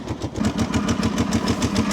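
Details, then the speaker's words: Freshly started twin idling with quick, even pulses and a light ticking on top; source not confirmed. "Now, when I first heard it up, I was a little nervous because you can hear some noise in here."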